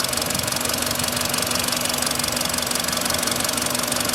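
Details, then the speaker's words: Hot idling engine, 58,559 km, sharp ticking knock about 200 a minute, too light for a rod; lifters checked firm, cause found as cylinder 1 spark plug with loose insulator leaking gas, likely overtightened, fitted about 20,000 km ago. "вот так что когда появляется стук первым делом проверяйте свечи"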